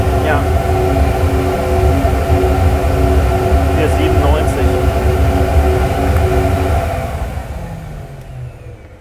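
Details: Sport air filter measured on a flowbench, a quieter filter than the previous one: steady, even rushing roar with a low hum underneath that winds down at the end. Smooth airflow through the filter with no flutter, normal intake airflow.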